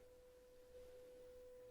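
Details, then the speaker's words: Graetz Super 171W tube radio, 500 Hz signal-generator tone fed to the output transformer primary at EL84 pin 7: clean steady tone from the speaker, no buzz or distortion; output transformer fine. "up a bit we're actually getting the beep coming out of the speaker so the output transform is fine which is great"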